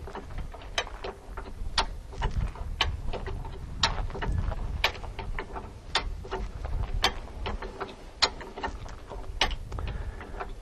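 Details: Hi-Lift jack lifting a Jeep by the bumper until the tire is about 2 in off the ground: crisp metallic clicks about every second as the handle pumps, even and clean; climbing pins catching normally.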